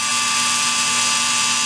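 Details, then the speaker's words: REDS Racing VX4 Pro Stock 17.5T brushless motor on test bench at 45 degrees timing, about 4.6 amps: loud steady high-pitched whine with faint buzzing edge; vibration at high rpm, suspected in the shaft. "Yes, hear that sound right there? That sounds like there's vibration in the shaft."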